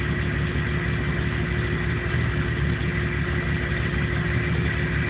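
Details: 1997 Jeep Cherokee with no trouble codes, idling low with an uneven, loping pulse and slight shake. It won't idle right and dies under power. Rough idle, cause not found.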